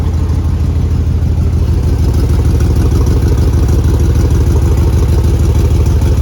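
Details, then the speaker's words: 2001 Chevy 2500 farm truck, first start after new nylon fuel lines, fired almost first hit: loud, even tractor-like chuffing pulses at idle, about three a second; exhaust leak. "We definitely have an exhaust leak. Sounds like a tractor, but other than that, she fired right up, almost first hit."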